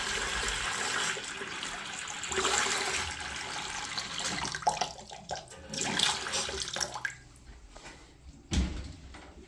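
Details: Tap after repair, with the valve seat smoothed so it closes properly, being tested for vibration; water rushes steadily with no hum or judder, then shuts off with a soft clunk; tap running normally.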